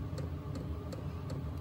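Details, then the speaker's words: Diesel heater starting on a Jackery power station at about 100–140 W startup draw, glow plug hot: crisp regular ticks about three a second over a low fan rumble as the fuel pump kicks on and diesel ignites; normal. "okay so you can see the fuel pump just kicked on so we're up past 100 now uh you can hear the diesel igniting and all that good stuff"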